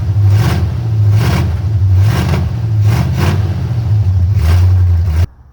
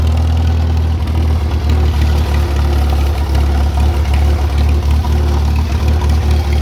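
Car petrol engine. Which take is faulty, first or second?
first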